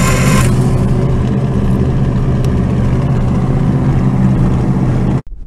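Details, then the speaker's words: IH UD-16 diesel power unit on a 1945 Chevy truck, fuel system refilled and checking for leaks: heavy labored low churning about five seconds that never fires; weak batteries turn it over slowly. "let's go have some lunch and then we can come out and see if the love batteries are going to give us some energy to crank it over to see how many leaks we got"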